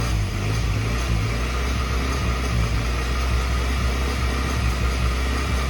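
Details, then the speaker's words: 1991 Suzuki Swift 1.6 AWD saloon, carburettor: catches and settles into a steady low idle once fuel is poured in; owner suspects a blockage stopping fuel entering the carburettor, fuel and pump possibly okay, carb to come off. "maybe the fuel's not completely bad and the pump's okay there's just something stopping the fuel getting into the carburetor basically"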